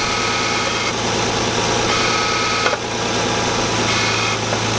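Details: Engine just reassembled after suspected timing trouble, idling with a steady low drone and a rough, continuous scraping grind at the front. Source unconfirmed. Grinding noise.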